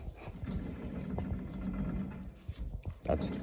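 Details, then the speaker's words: 2005-2021 Nissan Frontier rear hub turned slowly by hand during brake service, caliper removed: low rough growl and faint hum from a worn rear axle roller bearing. "You hear the roller bearing in there?"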